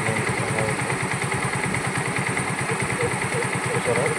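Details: Hero Glamour BS4 motorcycle after full engine rebuild (worn bore, crank noise and smoke before, from low engine oil); even, steady low thumping at idle with no tapping or chain rattle, running smoothly and healthy.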